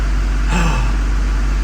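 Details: Duramax diesel after new fuel lines and PPE race fuel valve installed to fix fuel rail pressure issue, cold engine, rail pressure holding near 5700 desired: short steady, even idle with deep smooth drone, no hunting or stumbling; normal idle.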